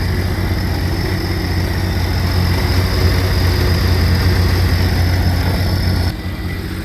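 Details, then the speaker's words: Cursed RXT after coolant-in-crankcase leak repair and oil change: steady low even idle hum on cold oil with no misses, knocks or rattles; oil pressure 33 at idle, a little over 40 with some RPM. "right, so we got cold oil in there, but we're running at 33. If we give it some RPM, we'll get a little over 40."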